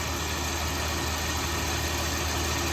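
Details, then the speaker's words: Dodge Ram 1500 that broke down at work, check engine light on: steady, even idle with no skips, stumbles or shaking, so no misfire is audible. Owner suspects the fuel filter; cause not confirmed. "now y'all correct me if I'm wrong uh that's the reason we're making this video the all correct me about wrong like the molding not shaking the truck sounds good motor not shaking"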